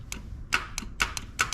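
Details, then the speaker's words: Land Rover Discovery 2 Td5 that won't start: with 12 V fed directly past the relay, sharp repeated starter clicks and little cranking; gummed-up starter contacts suspected, to be cleaned with the starter in place. "so if we put the 12 volts directly to where the relay would send its 12 volts you can hear the start clicking and then it tried to start so what that is the contacts in the starter are probably um all gummed up and terrible"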